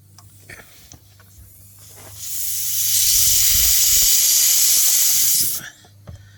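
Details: Car tire, jacked up on a stand after airing up, punctured by a long screw: sharp steady hiss of escaping air for about three seconds then cutting off; tire air leak.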